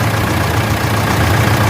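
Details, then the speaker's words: Mitsubishi L200 Triton 3.2 diesel after timing chain kit replacement, and after old belts were tightened: even idle with a steady low thrum and no rattle or slap from the front of the engine; the timing drive is now quiet. Normal idle. "Olha aí pessoal tanto ficou bonito barulho de motor e e olha eu sou apaixonada nesse motor pessoal o barulho de motor"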